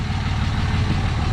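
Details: 2006 third-gen Cummins diesel, just after installing Airdog II 165GPH lift pump, XDP fuel sump and fuel filter delete: steady even clatter with firm low thump, no misses or knocks; normal idle.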